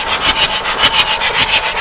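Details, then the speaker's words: Abandoned Bedford CF2 van, diesel: steady rhythmic starter whirr, about three to four compression pulses a second; engine turns over freely but does not start, with the fuel system not yet reassembled. "so we have turn you might not be able to see I can't see either but we definitely do have the Turnage"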